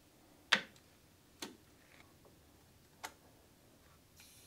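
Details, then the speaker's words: 1989 Citroen CX 2500 GTi on a lift, engine stopped after running: a few sharp isolated ticks about a second apart in a quiet bay as hydraulic system pressure bleeds back into the reservoir; normal. "now I can hear the pressure being bled back into the reservoir"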